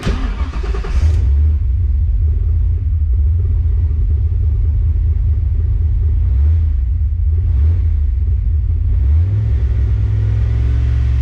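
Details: Foxbody Mustang on Holley EFI after TPS auto-set to fix misfire from erratic TPS signal: brief blip, then deep steady idle rumble holding even without hunting or stumbling; normal healthy idle.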